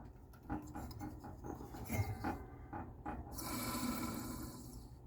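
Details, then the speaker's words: Junk desktop computer (2.4 GHz, 1.5 GB RAM) powered on with a failed rear case fan: irregular scraping and rasping, then a rushing whir as it spins up; the rear case fan is worn out and rubbing. "Yeah, that fan is completely toasted."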